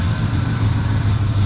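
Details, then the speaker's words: 1974 Chevrolet C10 small block after a no-start: low, steady idle with an even beat, no stumbles or surging, holding on its own without throttle. "Listen to that, gang. I didn't touch the gas. I didn't touch nothing. That's at least 6% better."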